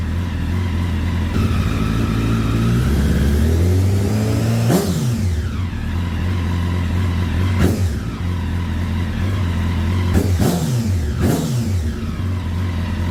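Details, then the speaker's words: 2009 Honda CBR1000RR Fireblade, bought sight unseen, after long storage outside in an auction lot, battery not fully charged: unsteady idle with several uneven throttle blips; rough running, cause unconfirmed. "I did turn it over last night briefly. Um, it didn't run very well, which is to expected seeing as it sat in an auction lot outside for quite some time."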